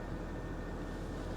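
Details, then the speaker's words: Car at auction, 85,000 miles, 3/4 tank of gas: a steady, even low hum with a fine regular pulse and no knocks or ticks. Normal, smooth running; no power steering whine, though the steering feels heavy. "the engine, it does sound good. We have 3/4 of a tank of gas, 85,000 miles."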